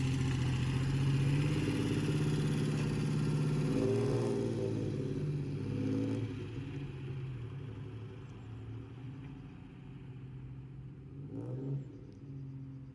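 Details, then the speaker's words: Barn-find Ford Capri Ghia, on its first road drive in about 20 years and first time under load through the gears: engine pulls and eases off with sharp bangs and pops; it is backfiring and clearly not running right. Cause not stated. "Um, it's me coming back. You can hear it banging and popping there. It's It wasn't It definitely wasn't running right."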